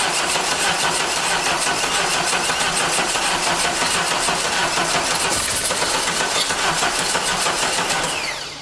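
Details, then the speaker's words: 1989 Dodge Daytona from a junkyard, rings freed with transmission fluid, in neutral with premixed gas poured in: steady starter churn that never catches and slows as the battery fades; owner suspects fluid in the cylinders and flooding; cranks, no start. "off uh just trying battery's getting weak she's crying she's got a lot of that uh transmission fluid down in the cylinders where i had uh got the rings freed so it's got to burn all that off the top plus we're probably just flooding it real bad"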